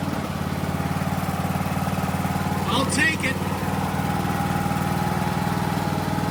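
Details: Craftsman DLT 3000 riding mower single-cylinder engine after a new fuel filter, air filter and oil filter: it ticks over at a steady, even beat with a brief clatter midway. It sounds like a healthy idle.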